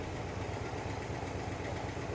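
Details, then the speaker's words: Rebuilt Pontiac 400 V8 with a gasketless bolted-together exhaust and 30-weight oil, warmed up: an even, low thumping idle at about 700 rpm with a regular beat and no ticking or knocking; normal idle. "what you got RPM now you're down like 700 RPM"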